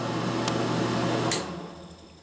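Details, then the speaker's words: Air King bathroom exhaust fan after its rattling was fixed by fitting a new motor and blower wheel, tested with the cover off: even, steady low hum with no rattle or scraping, then it winds down; rattle gone, much better. "alright let's test it out and see if we got rid of the rattle much better"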